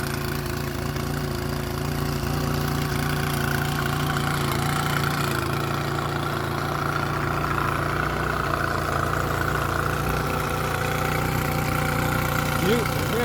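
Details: Mercury 9.9 outboard bought used, which had not run, back after 8-9 weeks of repair with parts from abroad; test run in the tank: steady, even putter with no knocks or misses; normal healthy idle.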